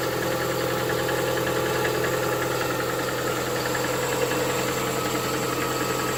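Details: Lada Vesta 1.8 engine at cold idle: light, steady, even ticking knock when cold. Cause not yet known.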